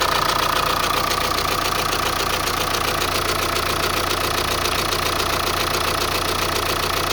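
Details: Opel Insignia B B20DTH diesel at cold-start idle: steady idle with a fast, dense metallic rattle on top, about two ticks a second; owner asks whether it is the chain or the belt, source unclear.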